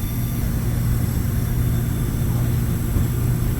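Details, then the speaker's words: Glycol beer-cooling unit (warm beer at taps) after condenser cleaning: condenser fan motor running smoothly, drawing 0.35 A against 0.38 A rated, moving air properly; steady low hum with faint constant whir, no rattle or scrape — normal running. "So we're right within spec. We're allowed to run 0.38. We're running 0.35, and we're moving air like we're supposed to, so I think all is well."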